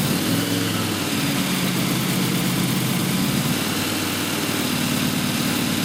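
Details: Newly built blown 355 Chevy V8, Weiand 6-71 blower, Holley 600 carbs, .575-lift solid roller cam; heavy lumpy loping idle with blower whine, steady without stumbling, sounds healthy.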